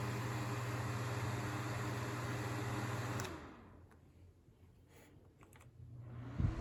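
Steady hum with a smooth airy whoosh and an even low tone, then it winds down; fan running normally.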